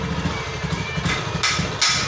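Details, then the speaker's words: Honda Beat ESP scooter on throttle: uneven, stumbling low pulses and hissy bursts; it won't rev, bogs and dies, with no MIL fault blinks. Owner suspects abnormal TPS, fuel pump pressure drop or a clogged injector. "nah ketika gini kita gas ngambek nggak mau saya"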